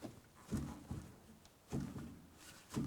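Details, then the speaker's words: W123 Mercedes-Benz 240D with front hub shaken by hand: a few dull, hollow thuds echo through the front end, the noise the previous owner heard when turning; worn lower ball joint. "can you hear that hollow thud sound kind of echoes through the whole front end and that's what he was hearing"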